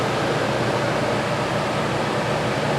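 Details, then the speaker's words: Old Dometic roof AC unit, on high, in a 1976 GMC motorhome beside a newly installed Furrion unit; steady even roar of moving air with a low hum, no rattles or squeals; much louder than the new unit but still blows cold air; normal running. "is a lot louder. I don't know what year it is or what, but it still pumps out cold air."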